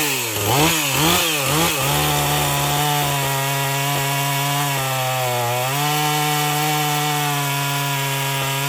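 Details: Husqvarna 450 chainsaw after rebuild and Hipa plug: throttle blips, then steady high buzz dipping slightly as the chain bites wood; runs clean under load.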